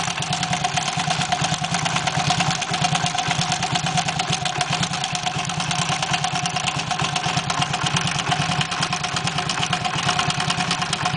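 Small engine idling with a fast, uneven ticking clatter riding over it, roughly three a second; something abnormal, cause unclear.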